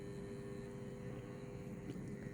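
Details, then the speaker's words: 150VA toroidal transformer with extra turns of thick wire, driven into a heavy current draw of about 500 A. Loud steady hum with a rough, rattling buzz and no rhythm; the transformer is badly overloaded and buzzing hard. "Okay. Transformer started buzzing hard. Actually, it's kind of fun."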